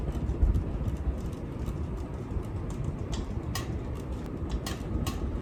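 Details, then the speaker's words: Ceiling fan clicking: faint light ticks each revolution over a low rumble, caused by loose blade screws or screws holding blades to the body; fixed by switching off and tightening with a stubby screwdriver. "fix it with the screwdriver and the issue is that these screws have come a little bit loose"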